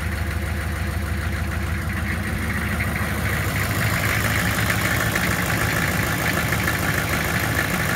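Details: 6.5 diesel hard start: slow, uneven chugging at about two beats a second that firms up after a few seconds as the engine struggles to start and settle; cause suspected, not confirmed.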